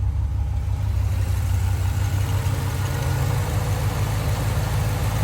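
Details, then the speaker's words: 1992 GMC Sierra 3500HD dually restoration truck, running, idling with even, steady low rumble, no knocks, misses or hunting; running smoothly: normal idle. "And it's running smoothly."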